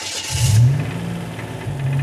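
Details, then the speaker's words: Buick Grand National with a built engine, idling with no throttle: rough idle with a faint rapid knock under the rumble; owner unsure whether it's rod knock or top end. "Oh yeah, there it is. I don't even have to do anything with the throttle. I don't know if that's top end or not."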